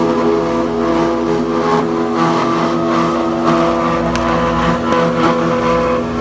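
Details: Planer/jointer running with a loud steady drone, rough rattling edge and occasional sharp clacks, worse than before; black material shedding inside, belts realigned and tight, no loose screws. Source unknown.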